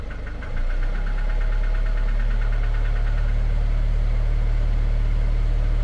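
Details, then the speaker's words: Citroën van engine at idle, door open: rhythmic knock about three a second at half engine speed under a deep drone; speeds up with light revs then disappears, smooth through rev range, returns at idle; dealer couldn't find cause. "ly red the engine very lightly and you'll notice that the noise will speed up with the rotation of the engine and then it will disappear altogether"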